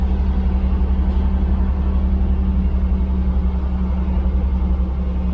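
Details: Freshly rebuilt 454 big-block Vortec Chevrolet V8, first start with fuel system primed and oil pressure good: deep, even rumble at steady idle, firing smooth and regular at about three pulses a second with no knocks; healthy.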